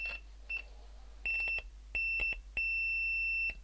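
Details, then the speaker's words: Blown open-circuit speaker after repair by soldering a wire to the broken coil lead, tested with meter continuity beeper: clean, steady high-pitched beeps with no buzz or crackle; speaker reproducing sound properly. "yeah and the speaker's making a nice sound"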